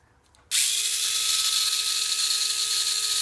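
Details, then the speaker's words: Tamiya Mini 4WD MA/MS chassis after high-speed drive gear modification with pink axle gear, reducing counter gear to pinion friction: clean, high, even whir, quiet and smooth with no clicking; normal gear drive. "Now it's very quiet and smooth, and there's no extra like a clicking, nothing like you can hear the gear with the force trading."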